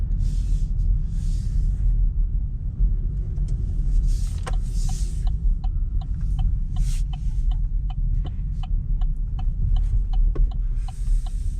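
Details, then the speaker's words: Chevrolet in snow, brake test: hitting brakes too hard while sliding triggers low rapid throbbing with light crunching as ABS pulses brakes to keep steering ability. Normal ABS activation. "so right now if you hear that that's the abs working so as i was sliding a little bit and i hit the brakes too hard rather than me sliding and skidding it's pulsing those brakes as fast as it can to help give you the ability to still steer"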